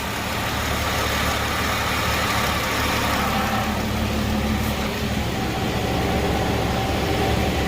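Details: Hyundai Genesis 3.8L after engine work (crank pulley bolt, belt, timing belt), first startup next day: quiet even idle, soft steady hum, no more rattle or ticking; normal idle.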